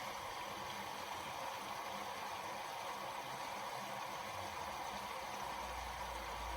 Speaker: Sounds good, there's water coming in. This one's a cold fill only.